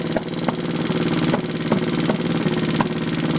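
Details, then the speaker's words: Twin-cylinder engine at low revs idles lumpy on one cylinder, popping and sputtering: right cylinder misfires and contributes nothing; reconnecting it brings a backfire. "running on one cylinder. Popping and farting."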